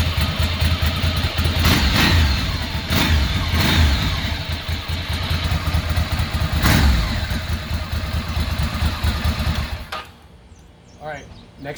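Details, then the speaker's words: 2006 Ducati Monster S2R 800 V-twin, first run in many years after fuel pump replacement and injector cleaning: lumpy V-twin idle with crisp throttle blips, then shuts off; runs clean and healthy. "sounds like a ducati to me look at that"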